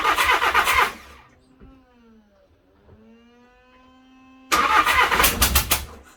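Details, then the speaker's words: VW Crafter campervan engine after head gasket failure and top-end rebuild, first start attempts: ragged uneven clatter, drops out, catches harsh and lumpy; owner suspects blown exhaust, cause unconfirmed. Rough running. "that does not sound good it sounds like the exhaust is blown so it doesn't quite sound right"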